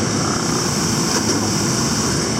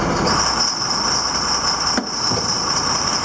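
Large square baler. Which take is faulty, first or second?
second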